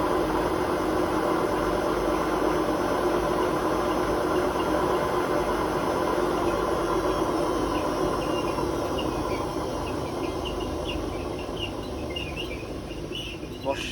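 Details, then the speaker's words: Hotpoint WMA32 washing machine, 22 years old, on a 600 rpm final spin with worn drum bearings that are about to be replaced: a rough rumble with audible bearing bumping/clattering, and no squeak this time. It eases as the drum slows. "Don't squeak this time, but the bearing noise. You can hear the bearings actually bump, like, what they call clattering a bit."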